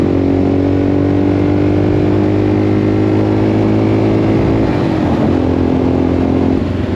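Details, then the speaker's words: 1984 Yamaha XT600 single after correct standard jet swap and pilot screw set to 1.5 turns, desert wide-open-throttle test: strong steady drone easing off cleanly without bogging, normal running under load with power, only slight remaining break-up. "Honestly, that seemed way better. >> Like we got power. >> That was the best it's ever been."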